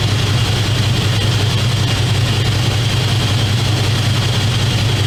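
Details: 2001 Dodge Dakota 4x4 4.7L after power steering pump replacement and bleeding of air from the system: smooth, even idle with a steady low hum and no pump whine or groan; normal idle.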